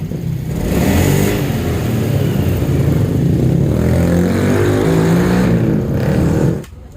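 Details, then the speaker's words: Honda Scoopy 2017 after replacing worn rollers and worn roller housing, which caused rough noise uphill and sluggish pull, plus cracked fan belt: revs climb cleanly with strong even note, no grinding, pull now immediate; normal acceleration. "Coba kita gas, beda sama yang tadi. Ini digas langsung tarikan terasa, langsung kontan."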